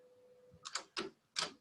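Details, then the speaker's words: Studer-Revox open-reel tape recorder, brake check without tape: a few crisp clacks as the brake solenoid lifts both brakes off simultaneously and drops them back cleanly, faint mains hum underneath; brake action normal. "We can see there's action there, that it's lifting off simultaneously, and also take a listen to it."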